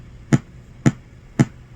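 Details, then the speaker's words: GT FORE audio board on the bench, 12 V and 5 V supplies good, oscillator, audio codec and op amp already replaced: three dull evenly spaced pops about half a second apart over quiet hiss; constant audio pop fault persisting. "Well, I'm still getting that pop, poof"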